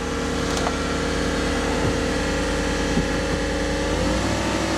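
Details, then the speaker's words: 2013 SUV with 5.3 engine at Copart auction: steady whining tones over idle rising in pitch with revs; source unknown, A/C compressor suspected then ruled out by the inspector; abnormal noise. "That don't sound good. Is that gonna go away? No, that ain't gonna go away."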